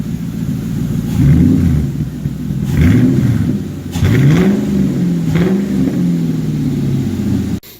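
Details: Lincoln V8 just swapped into a Mustang, first start after installation: a few throttle blips, revs climbing and falling back smoothly to an even low rumble; a healthy V8 warming up.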